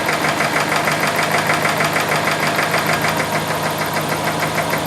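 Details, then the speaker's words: Subaru engine at idle, checked with mechanic's stethoscope: steady metallic rattle about three beats a second; traced to the timing belt tensioner and timing gear, owner plans to replace the timing gear. "so it's the tensioner and the timing gear so what I need to do is replace the timing gear that's gonna be expensive"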